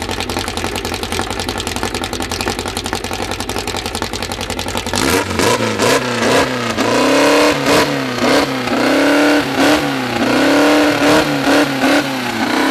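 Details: First start of a freshly built 2054 flat-four, carburettors barely adjusted, no final exhaust fitted: fast, even firing settles at once, then clean blips climbing and falling smoothly through a loud open pipe; healthy fresh engine.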